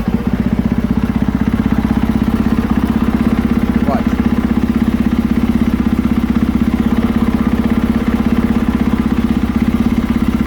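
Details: 2020 KTM 450SXF after replacing worn clutch dampeners: steady even single-cylinder idle, clutch lever pulled in and released, with smooth thumping and no former clunks or taps from clutch area.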